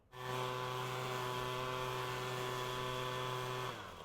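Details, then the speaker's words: Two-stroke leaf blower after carburetor high-speed screw tuning with tube blocked, then unblocked at full throttle: steady high even buzz, no breaking up or stumbling; normal full-throttle run, two-stroking at full power. "And now, when we unblock that tube and we go to full throttle, it will run smoothly, two-stroking at full power and optimally once"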